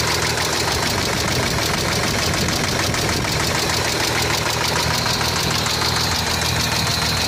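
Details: Hyundai Tiburon V6 at idle: a busy, tapping knock through a loud, harsh engine note. The owner wonders if it is the valves; the finding is engine knock.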